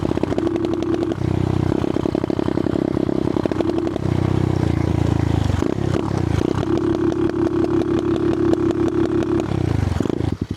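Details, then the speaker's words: Amazon pit bike with replacement engine and adjustable eBay rev limiter set at 4,000 rpm, ridden at full throttle: engine climbs then stutters in repeated rapid cut-outs, barely drivable; bouncing off the rev limiter. "Oh, wow. It's like not I can barely drive fast. Second I floor it. Yeah, I can barely drive without hitting limiter."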